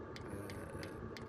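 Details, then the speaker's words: Fuel pump of a 2 kW diesel heater on a 20 ft Avan pop-top caravan, evening about 7 °C, mounted outside with inline fuel filter: crisp, evenly spaced ticks about three a second over a low hum; normal fuel pump metering. "And as you can hear, that's the fuel pump, how it ticks. Apparently there's some on the market that you can replace to quieten the ticking down, but to be fair, when I've got the diesel heater running insid"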